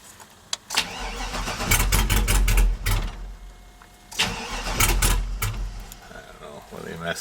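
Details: Old GM truck with 6.0 L V8 and 4L80E cranking without starting due to VATS anti-theft lockout; two even ~2 s cranking bursts, engine spins but never fires; owner trying wire fixes, VATS later deleted with HP Tuners.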